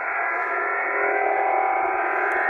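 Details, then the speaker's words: HF receiver on the 40 m band near 7.187-7.189 MHz, signal about S9 and drifting upward; harsh, steady rasping buzz of over-the-horizon radar interference. "it's not uncommon to find things like this on the high frequency bands it's uh the bane of many high frequency operators lives on its radio"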